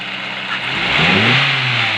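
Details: Petrol engine blips up from idle and settles, running evenly with no stumble or miss, after a misfiring cylinder three was fixed by swapping its faulty spark plug.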